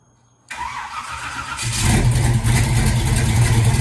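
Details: 1986 Chevy Caprice V8 with a rebuilt Turbo 400 transmission with trans brake and new Accel plug wires, starting after sitting two years: brief crank, fires straight away into a strong, steady rumble with no stumbling.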